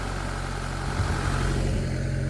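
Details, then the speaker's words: 1999 Mitsubishi Pajero iO (Pinin) 4x4, which the owner thinks has a Lancer-type engine, at steady, even, low idle with no misses, knocks or surging, after the high-pressure fuel pump repair fixed a crank-no-start with no fuel; normal idle. "oh my god it worked it's running like a dream all"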